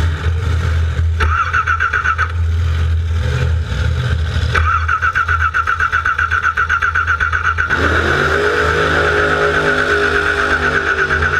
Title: NO start oil leak 13 4 13